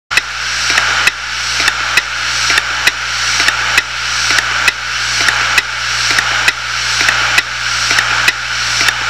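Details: Failed 250GB Hitachi Deskstar 7200 RPM hard drive: sharp clicks about once a second, repeating evenly over a faint spindle hum; drive stuck in a click loop.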